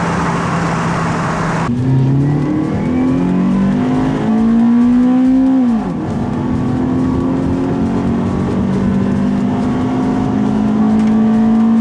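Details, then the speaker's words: Toyota Celica GT-S 2000-2005 with new Injen short ram intake and TRD exhaust, recorded while driving with window down after warm-up: engine note rises through gears with intake growl, dips on shifts; alternator whir noted; smooth, healthy. "What I hear the most is the alternator on my car, that whirring noise. It's bad, so this video might not do justice that well, but you can hear the intake, and well, you can hear mostly my exhaust, which is the TRD exhaust."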